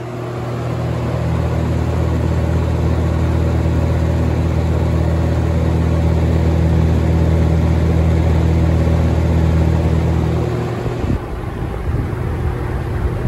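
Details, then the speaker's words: Holmes HABF-20 box fan (Feb 1997), seller's note said "hums"; motor cleaned and freshly oiled. Steady hum, then power off and a quiet, decent coast-down with no grinding or rattle; oil probably still working its way in. "Spin down should be a decent anyway. Not bad. Oil's probably got to work its way in there a little bit yet."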